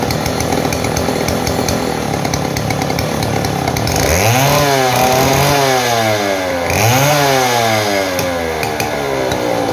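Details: Model 070 two-stroke chainsaw, repaired after lacking power and backfiring, cutting wood: revs high, then drops and labours twice as it bites in, recovering cleanly with no popping or backfire heard.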